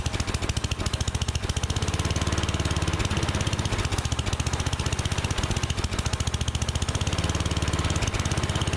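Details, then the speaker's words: Unmaintained Troy-Bilt Storm 7524 snowblower that wouldn't run on gas: single-cylinder engine putters unevenly at low idle, only running on starting fluid; fuel delivery fault, carburetor to be cleaned. "Okay, so I do want to show you something before I get too far into this to let you know that it is a fuel-related issue for sure."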